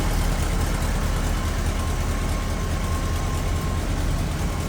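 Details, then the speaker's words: 1967 Volkswagen Transporter Camper, air-cooled flat four recently rebuilt, idling in neutral: low steady idle with soft even pulse, no tapping or misses; running pretty smooth; normal idle. "Running pretty smooth. And again, just recently rebuilt."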